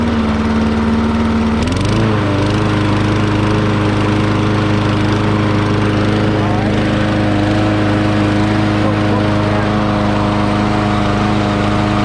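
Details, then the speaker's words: Murray 20-inch self-propelled mower, 6 HP Briggs & Stratton, first run after freeing a gummed-up carburetor throttle linkage: single-cylinder engine catches and runs steady with a slight surge, throttle now responding, running normally. "You heard it was kind of surged a little bit, but this is the first time this thing's ever run."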